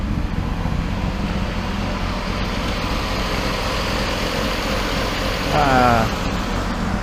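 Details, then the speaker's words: 1995 Proton Satria with high-lift cam, Perdana valve springs and rev limit raised to about 9000 rpm: steady idle with a soft uneven lope, muffled by the stock exhaust. Lumpy performance-cam idle. "So either dia dah macam bunyi cam lah. Tapi sebab aku pakai exhaust standard kan, so bunyi dia tak berapa jelas lah. Tapi adalah bunyi menggelegak high cam tu."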